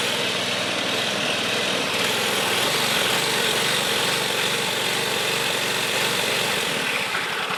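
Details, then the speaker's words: Old John Deere 14SB self-propelled push mower, trash find, rope instead of missing recoil, carb only removed and inspected, at half throttle: uneven stumbling beat that surges and hunts; owner thinks the carburetor needs a rebuild. "I think the carb needs a rebuild [Music] now you guys can see everything I'm doing he so the carb more than likely needs to be rebuilt that doesn't surprise me"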